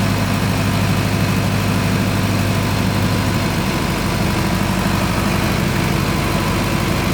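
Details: Newly installed and commissioned 50 kW canopy-type generator running with the ATS complete and carrying a lift load during a lift test: constant deep diesel drone, steady low thrum, no knocks or misses; runs smoothly.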